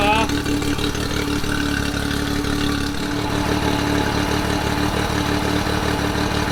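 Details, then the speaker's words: Honda BF30 outboard just after its 12-month service and internal anode replacement, run on flushing water to check for leaks: steady even idle, constant hum, no misfires or knocking; runs clean. "i'm just gonna start it up now run some water through it make sure all of this isn't leaking and uh fingers crossed she's all good"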